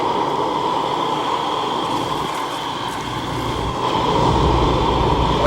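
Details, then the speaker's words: Carlin oil burner on a flooded Bock oil-fired 40-gallon water heater: steady even roar and mid-pitched hum, no sputter or cut-outs. The burner is holding flame normally while steaming out the water. "It should stay on. Full of water. Look at the steam coming out of that baby. Full of water. Gotta let it run."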